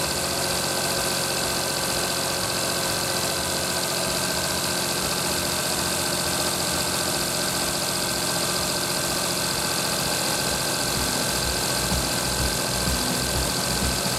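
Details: Daihatsu Tanto L375S with power-steering pump, about 250,000 km, after replacing the faulty alternator with a rebuilt unit: even, steady idle with no squeal, rattle or grind from the belt end; healthy again.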